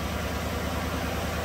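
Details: 2017 GM truck with 5.3 V8, dealer-diagnosed collapsed lifter and bent pushrod, after pushrod replacement and electronic AFM delete: deep, steady, even idle rumble with no ticks, knocks or missed beats; no misfires on startup.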